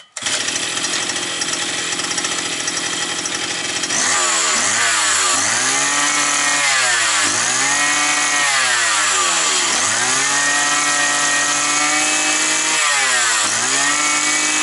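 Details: Roughly 52cc two-stroke petrol brushcutter that used to start then stall after sitting over winter, now with a new filter fitted: fires, holds high revs, then blips up and down cleanly about every 1.5 seconds. Running normally.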